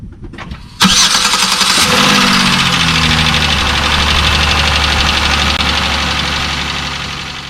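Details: 2005–2009 Chevy Equinox 3.4L V6 after starter replacement: quick crank, engine catches cleanly in about one second and settles to steady idle; new starter working normally.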